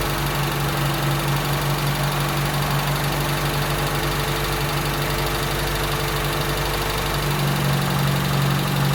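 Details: Toyota Tercel, freshly reinstalled 3A-C engine, idling cold with no coolant hooked up while ignition timing is set. Steady low drone with a fairly even pulse, settling slightly near the end. Cold idle.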